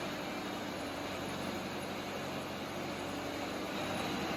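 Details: 1937 Cord 812 supercharged V8 with horizontal valves, roller rockers and a 6-to-1 supercharger, loaded on a dyno sweep (4,200 rpm engine, data to 4,000). A dense, steady roar holds even under load with no knocks, misses or rattles: healthy running.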